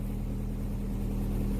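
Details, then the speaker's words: Opel Omega B, 4th-generation propane-butane LPG that wouldn't switch to gas; with the arming valve stem removed it started directly on gas, quiet smooth steady idle, even low drone, no misses or surging; valve coil suspected burnt. "Sans la valve d’armement, il a commencé à fonctionner directement"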